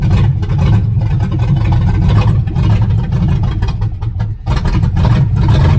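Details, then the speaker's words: 1978 Chevrolet Nova V8 (305 or 350), abandoned 25 years, swapped carburettor, no exhaust fitted: loud open deep burble with an uneven beat and a dip near four seconds; runs rough, owner suspects timing, not confirmed. "it started up then DED so we'll see what happens it's awful loud no no exhaust"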